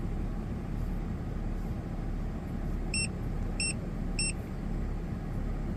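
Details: Ford FG2 Falcon after P2110 throttle body code repair, warmed up over 10 minutes: smooth, even low rumble idling at 750 rpm, three short beeps over it; throttle at 14.5–15 versus 18 before, no codes.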